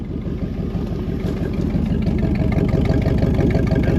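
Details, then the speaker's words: 1973 Mercury Montego GT, 400 cubic inch Ford engine with C6 transmission, sat 10 years, first start: even, deep, lopey burbling idle with a throaty glass-pack exhaust note; oil pressure good, sounds healthy. "hell yeah out sitting there idling we just bought us a good one folks"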